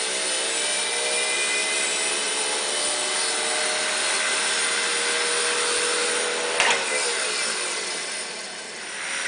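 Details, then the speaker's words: Studer A80 reel-to-reel master recorder, ex-BBC editing machine with about 20 transport bearings replaced and mechanics and electronics serviced, rewinding: smooth even hiss with steady high tones, no shrill whine; quiet, healthy transport. "One of the noticeable differences once you've had all the bearings replaced on the machine like this is the sound and when it rewinds."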